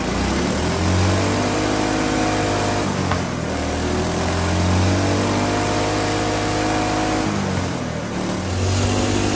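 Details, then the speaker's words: Small single-cylinder spark-ignition hydrogen engine with diesel replacing the water injection, at full throttle and full RPM with hydrogen turned almost off: rough uneven pounding and heavy shaking, vibrating like mad with a lot of knock, smoking, but still running. "The engine is vibrating like mad, so I'm getting a lot of knock. The engine doesn't really like it, but it is running."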